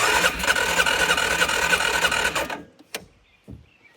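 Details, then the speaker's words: Used ATV bought in a multi-machine lot, carb cleaner sprayed in, no regular starting fluid: about 2.5 seconds of quick, even cranking that never catches; battery weak; fuel starvation. "So close. I don't have enough juice in this thing. Maybe it doesn't like the carb cleaner. I don't have regular starting fluid, unfortunately."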